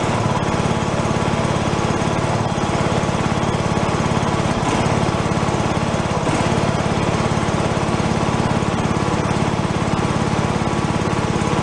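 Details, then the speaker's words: Free John Deere lawn tractor revived, running on choke as fuel comes up: small engine holding a fast, even beat at steady speed, no surging or misses; normal running. "yeah that's more like it now I'll probably apartment anyway just so pushes its way through now should stay running once the fuel goes up all the way up his choke"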